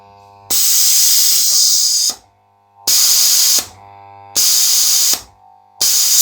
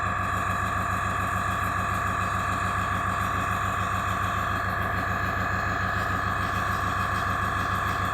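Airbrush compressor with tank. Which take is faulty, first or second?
first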